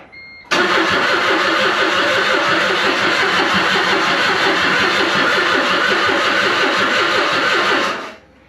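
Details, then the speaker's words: 2008 Smart ForTwo, engine stopped and wouldn't restart after sitting overnight: steady fast whirring crank for about seven seconds with no firing, strong fuel smell, same as last time; cranks but won't start, cause unconfirmed. "yeah so now it's not even trying to start and it smells really heavily of fuel which is how it smelled and the way it sounded last time"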